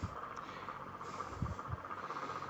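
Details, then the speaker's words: Electric fan recorded from behind to avoid airflow: steady hum with occasional dull "klok" knock near the blade, a mechanical rather than electrical fault. "nah ini suara dari belakang terdengar ada bunyi tidak normal tetapi itu bukan masalah di kelistrikan itu masalah mekanik"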